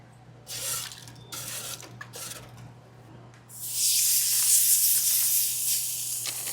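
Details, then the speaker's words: Airstream trailer hot faucet opened all the way hot after refilling and repressurizing the drained water heater (heater just switched on, water not yet hot): uneven hissy gush spitting and sputtering in bursts, air trapped in the hot water line. "A little air in the hot. Might be a little spitting, but this should work normal."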